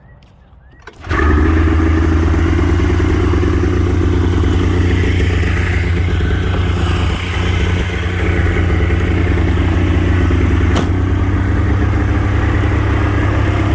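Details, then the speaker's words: Polaris Indy 680 Ultra two-stroke snowmobile after carburetor idle adjustments; fires and settles into a steady, even two-stroke burble with no surging or dying. "All right, so now that we got it idling almost as perfect as it's gonna get, I have one thing left to do,"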